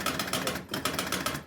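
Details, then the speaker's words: Jumping Jack pinball machine; rapid mechanical clatter in bursts about every 0.8 seconds: outhole kicker circuit, shared with the pop-up reset, keeps cycling but never ejects the ball. "uit that's popping these up is also the same circuit that's po supposed to kick that ball out but the ball's not kicking out out so that was the confusing part"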